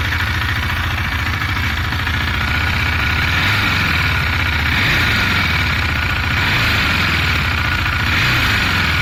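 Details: 2018 KTM Duke 390, 8,500 km: loud single-cylinder idle with a fast, uneven metallic tick about three per second, noticed for 4 months, clearest when decelerating; source unclear.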